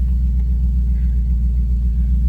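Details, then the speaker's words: BMW 840ci V8, about 178,000 miles, start after an accident crushed the driver's door: smooth steady low idle rumble with even beat, no knocks or ticks, engine sounding perfect. "The engine sounding perfect though. Oh, it's a lovely sound."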